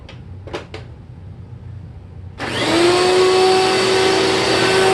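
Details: 2000 Dirt Devil Featherlite vacuum test run after rebuilding four bearings, two in the brush roll and two in the motor: motor spins up to a steady, even, loud high whine with no grinding or rattle; running normally, never meant to be quiet.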